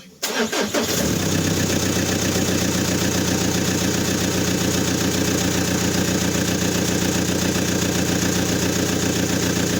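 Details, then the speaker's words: Suzuki Escudo 2.0 130 Multijet diesel after rod bearing replacement, started with turbo hoses off so slight intake noise. Starts at once and idles evenly with no rod knock. Oil pressure warning persists; owner suspects the oil pressure sensor or oil pump. "Voilà, ils tourneront. Il tourne bien. Bon, il n'y a pas les durites de turbo, il n'y a pas tout ça, donc il fait un peu de bruit. Mais pour moi, voilà, il n'a pas de problème de bielle déjà."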